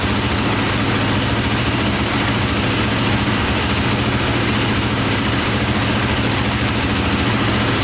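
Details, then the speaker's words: KTM 450 single-cylinder dirt bike, likely dual sport, just after carburetor fix: even, steady thump at idle, no sputter or hunting; owner suspects one-way bearing for a click at shutdown; normal idle. "wow what's good so far see if she fires right back up sounds good"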